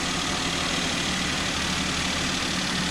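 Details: Maruti Alto, about 98,100 km, new engine mountings fitted, warming after cold start, AC on: smooth, even idle with steady low hum and no knocks, rattles or vibration.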